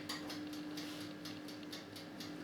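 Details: Swan 23 litre electric convection oven (SF37010CN) set to 230°C on rotisserie setting; crisp even clockwork timer ticks about four per second over faint steady hum as it counts down normally.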